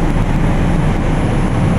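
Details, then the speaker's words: Carrier Infinity GreenSpeed 25VNA inverter heat pump outdoor unit running in cool mode: steady deep even drone, no knocks, rattles or squeals; sounds like something's wrong at startup but this is normal. "it started up pretty much the same way it did in heat mode it sounds like there's something wrong with it when it starts up but that's how it's supposed to sound"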